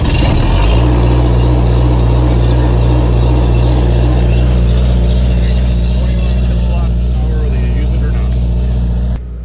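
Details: Diesel generator started after a 10-second glow-plug primer: the starter cranks briefly, then it catches and settles into a steady, even low thrum with no misses or knocks.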